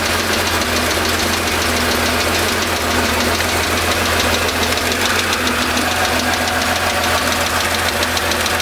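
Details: 1975 Porsche 911 3.0 air-cooled flat-six, cold start, oil level good, 30 psi oil pressure: steady tapping knock starting after about 30 seconds, tracks rpm, persists when warm; traced to cylinder 5.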